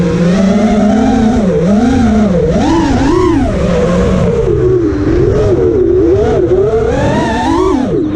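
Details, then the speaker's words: Quad with T-Motor F80 2500kv motors (owner says one bearing is bad), motor timing set to high, regular PIDs: high motor whine swooping up and down in pitch without settling. Oscillation persists, though less than before; motor heat moderate and even. "I don't think there's any one motor that's more warm than any other in the others it's a lot less oscillation this time I wouldn't say there was none"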